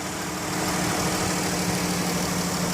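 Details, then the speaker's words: 2013 Dodge Caravan SE mobility van, 3.6 V6, 59,357 miles, hood open: steady, even, smooth idle drone with no knocks, ticks or squeal; inspected, no leaks; normal idle. "Underneath the hood has a 3.6 V6. It idles smoothly, the engine sounds good."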